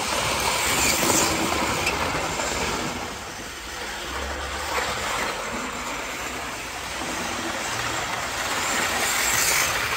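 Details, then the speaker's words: 1980s Hornby APT model train fitted with a replacement ringfield motor upgrade kit, test run: a steady high-pitched electric motor whirr with rapid wheel clatter on the track, even and strong throughout; performance fantastic, running healthily. "in terms of its performance it's fantastic it works an absolute dream"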